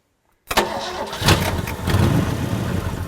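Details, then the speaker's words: 1963 Ford Galaxie with 289 V8, long-sitting car a tree fell on, first start; catches at once into steady, even low rumble like a sewing machine, exhaust leak puffing smoke, one cylinder possibly low compression: normal running. "that's a really good sound in little 289. yeah that sounds like a nice little sewing machine"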